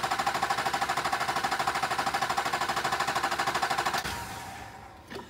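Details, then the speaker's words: 2001-2004 LB7 Duramax with low rail pressure code (about 94 MPa achieved), cranked 15 seconds with injector electronics disabled for a return-rate test: fast even cranking, never starts; returns low, diagnosed injection pump failure, not injectors. "So we're gonna go ahead and diagnose as this is an injection pump failure, not fuel injectors."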